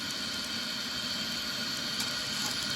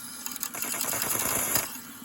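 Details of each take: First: Home-made 18 oz injector on a 5-inch gauge Manning Wardle locomotive at about 80 lb pressure with the water trimmed back: constant harsh steam hiss with a watery rush and overflow dribble. It is trying to lift; the owner suspects an excessive steam cone to combining cone gap. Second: Home-made 18 oz injector on a 5-inch gauge Manning Wardle steam locomotive, retried after the water level dropped: a steady, even steam hiss with no sputtering. It feeds fairly dry with a slight dribble, which is good.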